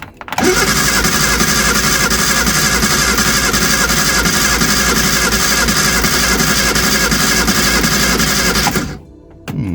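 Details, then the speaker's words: Early-2000s Reliant Supervan with choke pushed in: starter spins steadily at about four turns a second but the engine never fires; cranks without starting, no spark though it had spark before, distributor to be checked. "we did have spark and now we haven't"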